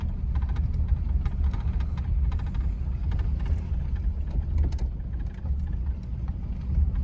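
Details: Restored 1950 Packard Eight Touring Sedan, 30,356 miles, 138 hp flathead straight-eight, Ultramatic Drive, slowing after about 60 mph while turning in: low smooth even hum over road rumble, no knocks or ticks; quiet healthy running.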